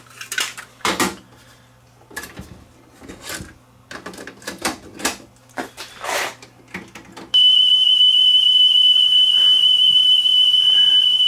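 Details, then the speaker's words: Sony TC-WE405 cassette deck, deck A playing test tone: after clicks, steady high tone wavers unevenly in pitch, bad wow and flutter; belts suspected, not confirmed. "Houston, we have a wow and flutter problem. Maybe that's the problem. It's got bad wow and flutter."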